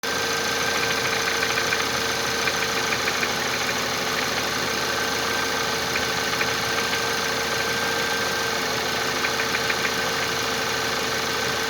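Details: Audi/VW CJEB 1.8 TFSI engine at idle: light, rapid ticking knock, roughly three per second, over the engine hum; engine knock, cause unclear from sound alone.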